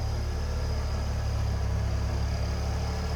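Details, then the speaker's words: 1993 Ford Mustang LX convertible, 2.3-liter four-cylinder, heard from the rear; steady even low rumble, no knocks, misses or whine; smooth healthy idle. "What you'd expect. 93 Mustang LX with the 2.3 in it to sound"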